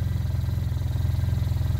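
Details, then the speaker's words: Arctic Cat Norseman sled idling after a 90-acre trail run. An even, deep throb with no loose rattle means it is running normally. "and that's the shake after going through the 90-acre trail and back"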